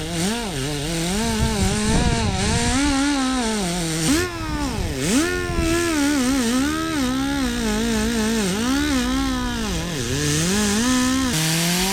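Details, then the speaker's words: 1974 Ford 3550 industrial tractor, seized engine freed with vinegar, cranked with spark plugs out after fixing loose battery terminals: starter spins the engine quickly and freely with a wavering whir, no binding; normal free cranking. "Boy, that sounds a lot better, guys, huh?"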